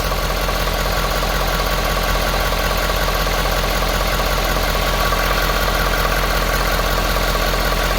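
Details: 2018 Ford F-250 6.7L Power Stroke diesel idling after fuel filter and water separator replacement and priming: loud, even diesel clatter with regular firing, no misses or stumbles; no leaks, healthy normal idle.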